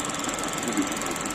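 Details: Thin, weak, crackling optical sound from an ELMO 16mm xenon projector, rear cover off; guide rollers poorly repaired with heat-shrink tubing have the wrong diameter, so the film isn't kept flat; the rollers need replacing.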